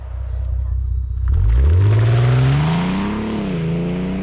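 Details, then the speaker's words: 2009 Audi TT 8J mk2 3.2 VR6, close to 300,000 km, heard while driving: a deep, smooth exhaust note climbs cleanly as the car pulls away, pitch rising evenly through the revs; normal, healthy engine and exhaust note. "Yeah, that car, it really is nice to drive, and that note from the exhaust, it just puts a smile on your face."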